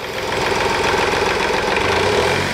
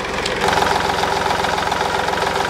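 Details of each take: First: 2010 Smart Fortwo 451, 0.8 turbodiesel, 119,000 km, after a fuel filter change, idling and blipped: a buzzy plastic rattle rides on the vibration; the screwed Mercedes plastic latch on the diffuser has worked loose over time. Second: 2010 Smart Fortwo 451 0.8 turbodiesel, 119,000 km, after a fuel filter replacement with no air in the system: steady, even diesel clatter with regular firing and no hunting or misses; normal idle.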